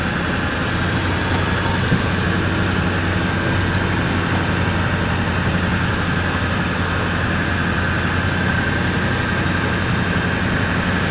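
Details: 7.3 diesel idling with a steady low drone and a rough gritty grinding noise over it; cause unknown.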